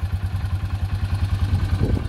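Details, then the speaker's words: Yamaha 4x4 ATV, electric and pull start: even, low-pitched putter of about eight beats a second at idle, no knocks or rattles; normal, healthy idle. "sounds good it's got electric and manual pull start"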